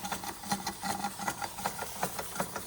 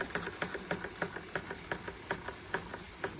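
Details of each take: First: Antique Bing 130/382 poppet-valve steam engine on original burners, about 15-16 psi, condensation going up the chimney: quick regular chuffs about five a second with a faint hiss, running smoothly; normal running. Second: Antique Bing 130/382 poppet-valve steam engine on original burners, about 15-16 psi, cold start: quick, even chuffs three or four a second with a wet, sputtery edge as condensation is not yet cleared; water in cylinder on start-up.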